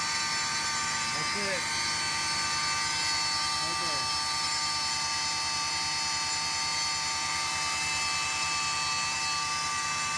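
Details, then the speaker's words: 2001 Cadillac DeVille at cold start: a loud, steady high whirring drones over the idle from behind the front fender liner. It cycles off as the car warms and briefly comes on while driving. Owner suspects the secondary AIR pump, unconfirmed. "when I turn it on this really loud annoying sound starts going sounds like an air pump of some sort I think it's a secondary air pump and the IR pump"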